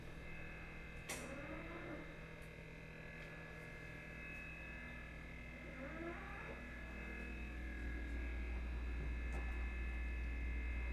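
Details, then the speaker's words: Electrolux DB52x inverter stainless fridge, nearly one year old and still under warranty, heard at night: a loud, rough, even hum with regular pulsing and creaks. The owner reports a crack followed by a motorbike-like noise, then the fridge stopped cooling while the freezer works. Cause unconfirmed. "Inacreditável, né? Uma geladeira dessas com esse tipo de barulho."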